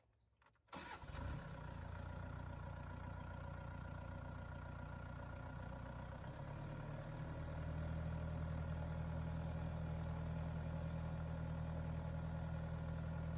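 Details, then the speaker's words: Tractor diesel with Rhinohide canopy installed, PTO engaged, brought to 2,500 rpm rated speed: settles into even idle, then the note deepens as the PTO takes load; runs smoothly, noise maybe 1–2 dB different from no canopy, within margin of error. "PTO's going roundy round. There we go to 2,500 RPM."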